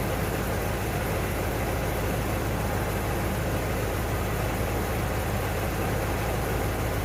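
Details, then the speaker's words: 1992 Ford Bronco, first start after being bought not running, coolant almost empty, oil a quart overfull: low, uneven idle with loose, lumpy beat under a hiss; runs rough, smoothing up a little. "So she is running. It's actually smoothing up a little bit."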